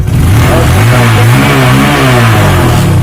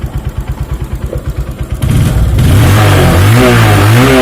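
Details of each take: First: Honda Verza 150 fuel-injected motorcycle running with a healthy battery fitted during a battery-drain diagnosis; steady even engine note with slight rise and fall in speed, no misses or knocks; running normally. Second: Honda Verza 150 fuel-injected motorcycle draining batteries monthly; idle then smooth revs; charging failure traced to a burnt, grounded stator winding feeding the regulator.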